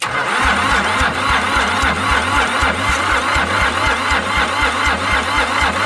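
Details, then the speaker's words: Long-abandoned International 284/285 4x4 diesel tractor, primed and fuelled, with cylinders previously filled with ATF: cranking at about four beats a second with occasional firing puffs, but it never runs. Owner suspects ATF clearing; it later runs, smoking white and black. "So, I filled all the cylinders with ATF, so it might still be trying to get rid of some of that, but it definitely seems like it's primed cuz when I gave it some gas, it was definitely trying."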